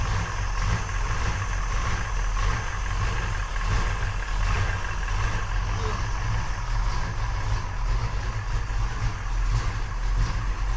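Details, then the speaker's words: 1968 Oldsmobile 442 V8, first start after sitting for years, with new starter and fresh 93 octane: deep, steady, loud lope with even rumble and no knocks; timing right, oil pressure good, carburetor running a little fat; normal idle. ">> Yeah, that sounded really good."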